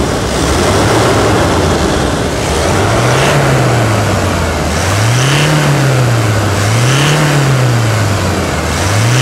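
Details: Toyota Hilux at 250,000 km, just after a full service with the automatic transmission oil changed, revving: clean blips rise and fall about every 1.5 seconds with a smooth, strong pull and no knocks or rattles. The engine sounds healthy.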